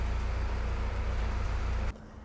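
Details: Jeep Kaiser CJ5 F134 engine, cold start in hot weather, in neutral: smooth, even low idle with no knocks or ticks for a couple of seconds; oil pressure around 50 psi on 10W40.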